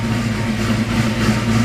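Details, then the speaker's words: 1989 Mustang GT 5.0 V8 with a cam, stock mid-pipe fitted for emissions, idling cold after sitting a long time: a deep rumble with a slightly uneven, loping beat from the cam; normal cammed idle. "but even with the stock mid-pipe you can still hear you can still hear it caming a little bit you can still hear the cam and everything"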